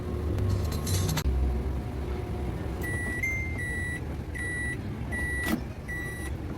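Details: Digital microwave after the shorted high-voltage diode was replaced, finishing a popcorn heating cycle: about five short, high, evenly pitched beeps roughly a second apart over faint background hum as the timer ends.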